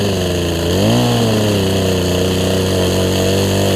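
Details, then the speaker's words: Poulan Pro 18" two-stroke chainsaw, revived from an equipment lot and running again, cutting a log: crisp buzz dips briefly as the chain bites, recovers quickly and holds an even pitch; healthy saw. "think my camera's dying but y'all saw it cut a tree so I'll leave the video here"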